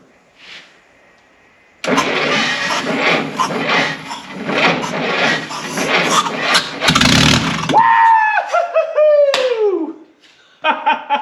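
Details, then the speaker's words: 1952 Willys pickup engine off the road since 1991, with sticky rings and oil added to the cylinders: it cranks, catches and runs on its own for several seconds with a steady busy note before dropping away. "why we just made a mess but holy moly it runs all you need is some compression"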